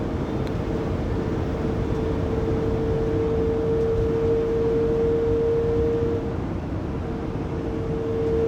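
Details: Loud steady mid-pitched driveline whine over road rumble at 80-90 km/h in a 2020 Pleasure Way Plateau FL (2019 Sprinter 3500XD), recorded on a phone after the drive shaft and differential were replaced; the noise persists and its source is still unfound.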